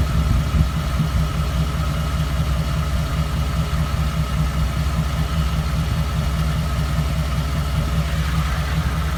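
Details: 2014 Ford F-150 5.0 V8 with 54,000 miles: a deep, uneven, lumpy idle with no clear tick; ticking began around 52,000 miles and rough idling followed a dealer visit; cause unknown.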